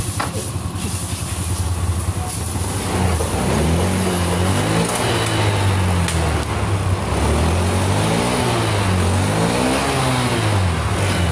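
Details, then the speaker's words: Honda Beat FI scooter that hesitated (brebet) on throttle, revved after its injector was replaced with one from a 2018 Beat: it climbs and falls cleanly with no stumble; the injector swap cured the hesitation. "Ganti injektor. Nah, ini diganti injektor udah sembuh teman-teman. Jadi udah enggak ada berpet nih, lihat."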